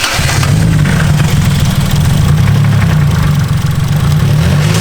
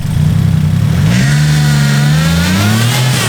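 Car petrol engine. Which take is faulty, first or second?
first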